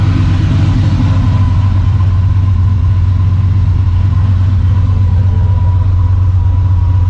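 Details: Freshly rebuilt engine in the Maliboom, first fire after the rebuild, run with open exhaust. Loud, steady deep rumble with an even, fast beat; it fires cleanly and runs smoothly, sounding healthy.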